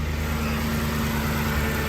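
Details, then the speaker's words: Ford 5.4L 3V petrol V8 after a timing job, cold start at 39 degrees after sitting: idles smooth with an even low rumble, no more popping, shaking or misfire. "good yeah you can see it's nice and smooth it's not shaking like it was yesterday"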